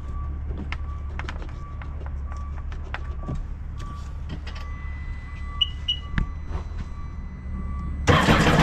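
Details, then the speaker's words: 2011 Sea-Doo RXT 260 Rotax engine with 700+ hours, first start after rebuild; owner suspects the iBR may be toast and will test forward and reverse. Quiet with faint ticks, then it cranks, catches and fires up cleanly; engine starts and runs. "We're gonna know now, because I'm gonna start it up if it starts, and then I'm gonna go forward and reverse and see what it does."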